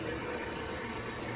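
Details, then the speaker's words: Old automatic surface grinder restarted after fixing a blown fuse on one leg of the 440 V supply: dry, rattling clatter over the smooth spindle motor hum; the hydraulic pump inside is running dry. "That clatter that you hear is the hydraulic pump in there, which is running dry."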